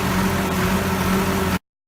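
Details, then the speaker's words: Allis-Chalmers 180 tractor, 301 diesel with low hours: steady even diesel clatter at constant speed with no knocks or misses; runs smooth, little smoke, healthy engine. "Starts good, runs smooth. Sounds real good. Sounds like these 301 Allis always have. Real quick, real smooth. Doesn't smoke a whole lot. Just a all around really good engine."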